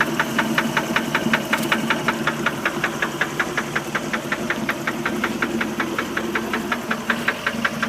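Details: 1988 MerCruiser 3.0 liter boat engine at idle: sharp regular knocking about 2.7 times a second over a steady idle; internal engine knock, cause not found.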